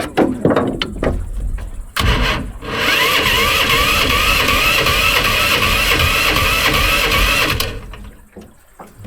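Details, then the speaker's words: Predator engine on a longtail swamp runner mud-motor boat, on the water: brief crank, catches and runs rough-steady about five seconds, then dies; engine keeps quitting, cause unclear. "Well, that's not good, guys. What I was afraid of. You get up in this hairy stuff like this and your boat motor quit, you can get in trouble really quick."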